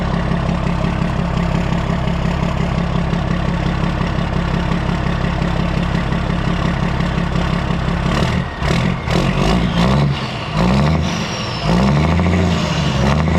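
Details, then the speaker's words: Older S Series 2300 semi truck with L10 diesel and new belt, low on fuel: deep, steady idle with an even low beat and no knocks or misses; sounds good. "Sounds good. I need to go get some fuel for it."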